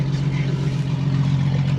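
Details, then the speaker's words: 1999 Jeep with automatic transmission, auction purchase with check-engine and airbag lights on: deep, loud, steady drone at idle with a heavy low rumble; the exhaust sounds broken, possibly with no muffler. "Chuck this thing sounds like you've got no Muffler bro this shit's broken"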